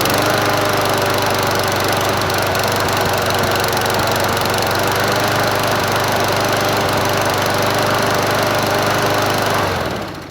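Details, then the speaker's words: Brute 22-inch self-propelled mower, 190cc 7.25 gross torque engine, auto choke: steady, slightly uneven beat for ten seconds, then fades and stalls because the fuel tank was nearly empty. "It needs more gas in it. So that's why it's doing that. So I don't think I had that much fuel in it."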